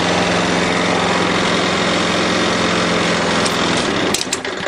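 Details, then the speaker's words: 6 hp Briggs & Stratton flathead on a Murray mower after a valve job: steady even running, no chit-chit chuff, good compression, then shuts down; bent shaft rattles the deck slightly. "notice it didn't make the chit chit chit sound anymore because now it's got good compression"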